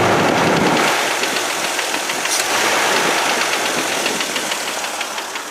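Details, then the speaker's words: Petrol engine idling with a recently developed loud lifter tick, before STP oil treatment: a sharp, steady tick about three and a half times a second. "that very loud and annoying ticking lifter tick"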